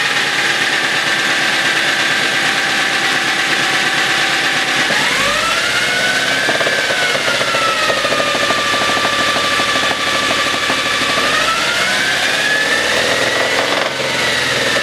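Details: Mercedes W203 with M271.946 petrol engine running with the poly-V belt removed: light rapid ticking knock over the hum as revs rise and settle; engine knock, source unclear.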